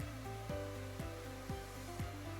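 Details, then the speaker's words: Semitool spin rinse dryer, dropping from high speed to 500 rpm dry 2: smooth motor whir stepping down through the harmonic with no shudder or rattle; normal spin-down. "Okay, we're going to drop back down. Here it is, coming down very nicely, right through the harmonic."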